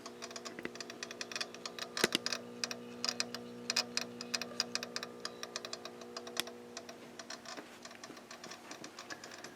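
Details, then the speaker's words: GRC-14 military HF receiver with gain turned down: irregular dry clicks a few times a second over a faint steady hum, sounding like a relay clicking inside the unit; source not identified. "well this is interesting I turned I turned the gain down and you can hear what sounds like a relay clicking in the unit"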